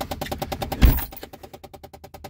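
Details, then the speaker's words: 2010 Chevy Impala in cold weather with quick, even plastic clicking, about ten a second, from behind the glove box. The passenger-side blend door actuator's worn gears are slipping; the driver-side actuator is not the source. Fix: replace the passenger actuator. "Use your ears, you can hear it coming from inside the glove box as opposed to the driver's side Blend Door Actuator, which is down here. You can distinctly hear it's coming from right there."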